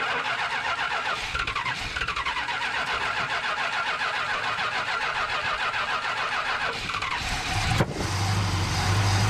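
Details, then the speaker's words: 1971 Plymouth Satellite barn find, possibly a 440 V8, runs only with idle turned well up: fast, slightly uneven idle, then a clunk and lower drone; needs a tune-up, bad gas and blocked carb passages suspected. "should not have to have the idle turned up that high I'm guessing and there's some blocked passageways in there"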